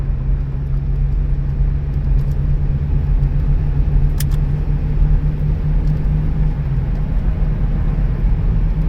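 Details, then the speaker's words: Minivan at 211,752 miles after replacing a failing tire, at about 65 mph: even, low road rumble with no rhythmic wheel-speed thump; smooth ride. "Well, it feels really good here."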